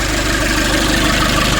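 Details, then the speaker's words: 2005 Nissan Urvan diesel, after replacing faulty pressure bolt and high-pressure/fuel pipes on diesel pump: smooth, regular idle with consistent rhythm, no stumbling, no leak; running healthy. "this bolt was the problem. We changed it, and now it's okay. Everything fine. Yeah. Everything is fine. No leak."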